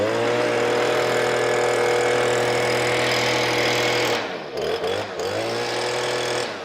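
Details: Stihl BG86 blower that bogged down, after replacing the clogged carburetor with a new one: strong steady high-revving buzz, clean drops and pickups on the throttle with no bogging; runs right.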